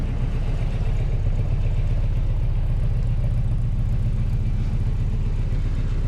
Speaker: air conditioning is on so you can hear it kicking up but yeah nice to have it